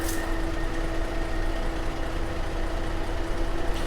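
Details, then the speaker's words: Cadillac SRX from a Copart flood car, engine revived, idling warm: a steady, even low rumble with a faint fan hum and no knocks or misses. It is not overheating and the cooling fans are kicking on. Normal idle. "She's running real good. Get you a little closer so you can hear it running for yourself."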